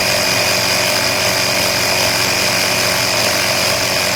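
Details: Air Hawk Pro tire inflator compressor running normally, set to 24 psi on a tire let down to 16.5, with quick-release extension hose fitted: loud, steady, high buzzing drone holding an even pitch; normal running.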